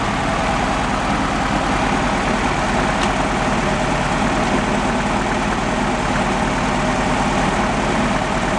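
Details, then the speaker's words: 71 Volkswagen Beetle convertible running during compression check: steady idle with an uneven, lumpy low pulse; tested cylinder read under 50 psi where at least 100 is expected; low-compression cylinder, gauge being cross-checked on another cylinder. "But, we weren't over 50 lbs and we should be up around at least 100."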